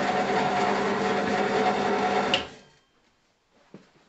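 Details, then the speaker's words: Draper pillar drill running unloaded, on lowest pulley speed: loud buzzing hum with tinny rattle from the pulley casing, then winds down; noisy before insulating the pulley case with bitumen roofing tape. "this is my draper pillar drill it's not the best drill in the world but it does work and i've had it many years and it gets the job done it is quite noisy if i turn it on"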